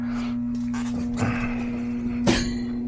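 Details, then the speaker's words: HVAC system set to cool at 68 with no cooling; steady low hum with a couple of metal clanks and no air rush, blower motor energised but not spinning, risking a freeze-up, fixed by blower motor replacement. "I guess it's not even I didn't spin it. Yeah, that's what's going on. It'll cause it to freeze."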